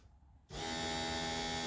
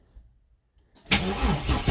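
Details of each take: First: Chevy S10 after fuel pump relay replaced with old OEM one, fixing priming issue: silence, then steady electric hum starts as ignition turns on and holds even; fuel pump priming normally. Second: Bagged Chevy S10 pickup: the starter chugs evenly for seconds at a time without the engine catching. The pump doesn't prime at key-on, so it needs long cranking before starting; the cause was a faulty fuel pump relay.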